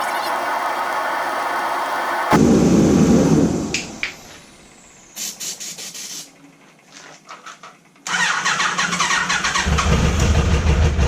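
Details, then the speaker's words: Neglected Kawasaki Concours ZG1000 first run after sitting, carbs later found gelled: after a rough start and stumbles the engine settles into an even run with its typical faint steady whine; normal running. "good that motor sounds good she's got that telltale wine I like"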